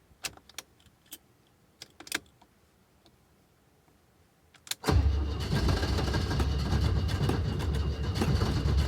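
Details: Alfa Romeo cold start on a cold day: quiet clicks while cranking, then the engine catches after about five seconds and settles into a rough, fast idle. Hard start when cold; cause not confirmed.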